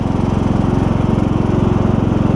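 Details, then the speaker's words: John Deere LA100 5-speed riding mower after transmission drive belt replacement, driving under load: steady even single-cylinder pulse, belt pulling firmly, no slipping or squeal; now climbs hills in all gears; normal drive belt engagement. "but now I've climbed Hills and everything and all the gears are working like they should you can hear the belt firmly"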